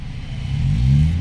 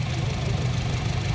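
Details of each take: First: 2017 Honda City 1.5 engine revving with the AC on after the faulty compressor was replaced with a Japan-surplus unit: smooth, normal sound, no more droning. Same sound with AC on or off. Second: 2017 Honda City 1.5 idling: engine rumble turns into a louder, rougher drone as soon as the AC is switched on and goes quiet with AC off; troubleshooting found the AC compressor faulty, to be replaced.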